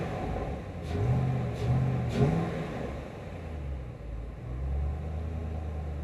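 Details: 2008 Ford Mustang GT, cold engine, vacuum gauge steady, during brake booster replacement diagnosis: smooth steady idle with three quick clean throttle blips that rise and settle evenly, no stumble or miss; engine running healthy.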